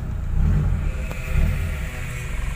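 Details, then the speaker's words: Old car after AC service with upgraded condenser, evaporator and Sanden 507 compressor: idle swells and settles higher as the AC switches on, idle-up raising engine speed from 500 to 800 rpm; working properly. "jadi ketika dinyalakan AC RPM ini masih naik RPM mesin naik jadi mobil ini sudah dilengkapi dengan idle up nah fungsinya idle up itu ketika kita nyalakan AC Rp mesin yang tadinya 500 akan naik menjadi 800"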